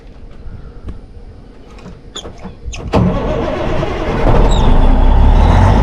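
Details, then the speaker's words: 1987 Peterbilt 362 cabover, 3406B 425 CAT diesel, sat 10-15 years in a junkyard, started with ether: a few clicks, then it fires on the first hit in about three seconds into a strong, steady rumble, then 60 psi oil pressure. "There we go. She fired up, guys. Damn, that was easy. First hit, she fired up."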